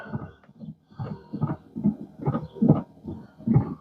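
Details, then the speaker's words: 2016 Chevrolet Equinox, newly installed Chinese replacement windshield wiper motor after wipers stopped working: uneven groaning bursts about once a second rising and falling with each sweep, sounds terrible; noisy wiper motor. "sounds Chinese is that just a motor making that noise [Music] that sounds terrible terrible"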